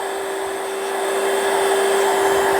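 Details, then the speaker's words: Donated cordless wet scrubber that sprays water and sucks it back into the tank, no filter found: steady, even high-pitched motor whine with airy rush, no wavering or grinding, blows out a fair bit of air; normal suction motor running. "It blows out a fair bit of air. So, I think that's all it's supposed to do."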